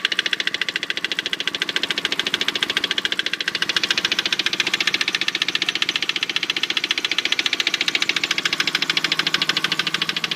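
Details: 1998 Mitsubishi 3000GT SL engine running: sharp fast even tapping about three and a half beats a second over the engine — engine knock.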